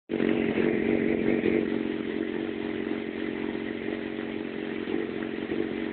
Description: My FZ6 is having problems idling and moving around at low engine speed (less than 3000 rpm).